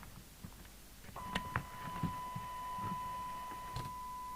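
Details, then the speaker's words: Danita 1240UK PR27/94 UK FM CB radio receiver after a retune that fixed slightly garbled receive: a clean, steady test tone of about 1 kHz from the signal generator, with no warble; normal receive audio. "it sounds normal now you see right squal that might have fixed itself"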